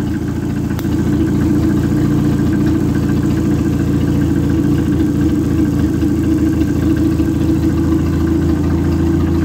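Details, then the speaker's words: Worn Neon engine from a retired race car running on a test stand, idling steadily but slightly lumpy with an uneven low pulse and no knock; no bubbles in the cooling system; compression test afterwards points to cylinder four causing the blow-by. "I got it running again and at least now it'll idle and we can see there there is no bubbles in the cooling system very good"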